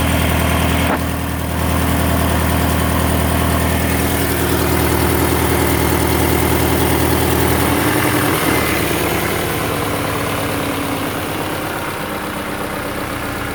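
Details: Subaru BRZ at idle: a loud idle with a regular throbbing pulse of roughly three a second over a rough low drone; the exhaust noise is abnormal, but the cause is unknown.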